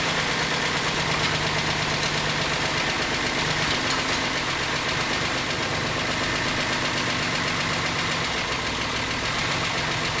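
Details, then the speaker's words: 2008 Ford Explorer 4.0L at idle right after engine reinstallation: a busy, uneven metallic rattle and tick over a steady idle, a top-end noise; timing chain noise. "yesterday you saw us fire this thing up and me try to figure out why it had a rattle tic tac to it"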